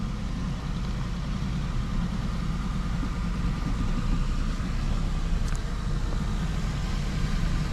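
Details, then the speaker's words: 1987 Toyota Supra Turbo, first run after sitting 12 years: uneven lumpy idle with a stumbling, skipping low beat; two dead fuel injectors cause the misfire. "so basically what's going on is it's got two dead um fuel injectors so that's why it sounds like it's skipping"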